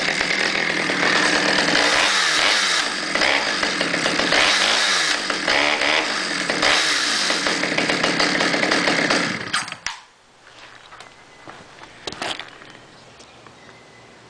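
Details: Stihl 009 chainsaw on stabilized gas, first run after 3–4 months: crisp revs rise and fall several times, then quiet steady idle; idle good, sounds healthy.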